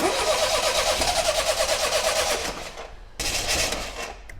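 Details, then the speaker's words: 1977 Triumph Dolomite, not run in years, carbs not yet set up, choke held by hand: engine catches with a pulsing note then dies, refires and fades, cutting out when choke released; stalling at idle. "right so we've got a bit of a problem here idling the car does not want to idle"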